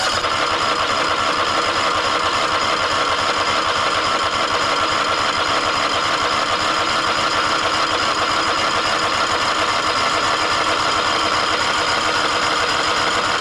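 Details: Toro Timecutter SS5000 zero-turn (model 74731), Toro-branded Loncin engine, after carburettor replacement: smooth, even, steady run with no misses or surging; healthy.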